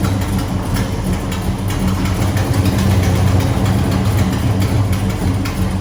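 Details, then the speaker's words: A12 Mopar muscle car V8, cold, with dented aftermarket headers: loud lumpy idle with a raspy uneven chuff over the rumble, exhaust leak from a hole in the header that contacts the valve cover. "it uh it has a nasty exhaust leak I'll show you"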